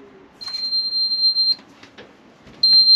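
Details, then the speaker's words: Truma Combi caravan boiler: after clicking and the combustion air fan spinning up, long high-pitched electronic fault beeps signal Error 6, stopping hot water; Truma confirmed a failed fan inside the main Combi boiler needing replacement. "you get that which you get that code there the eror six and obviously that just stops you from getting any hot water"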